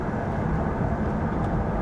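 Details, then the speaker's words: Jaguar XK8 driving at cruising speed with the window down to listen for bearings. Steady low road rumble with no growl, hum or scraping; the wheel bearings and brakes sound normal. "Brake noise. Very pleased. Very pleased indeed."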